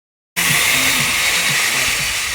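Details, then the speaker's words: Putty mixer machine making noise before repair: loud, harsh steady roar with rough gritty chatter underneath. Opening the head showed the small gear's teeth worn completely smooth. Worn gearbox gears. "यह putty mixer machine आवाज क्यों कर रही है? क्या इसके अंदर problem हो सकती है?"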